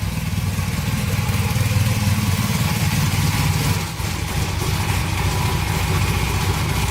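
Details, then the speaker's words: 1982 Honda CM450 that sat for years, just started, choke off: a steady idle with an even beat and no hunting. With a little throttle there is a slight bog the owner thinks could just be the fuel; otherwise good. "choke is off and running a little throttle sounds pretty good to me there's a little bog there could just be the fuel not bad"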